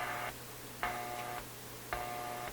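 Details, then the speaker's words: Westinghouse 622 vacuum-tube AM radio after tube replacement and rewiring: repeating half-second buzzy bursts about a second apart over a low hum, interference from a sleeping office computer power supply about 25 ft away. "that sound is the power supply in my office computer that's about uh I don't know 25 ft from here other side of my house and my computer's not on it's it's in sleep mode but as you can see the power supply is not really sleeping"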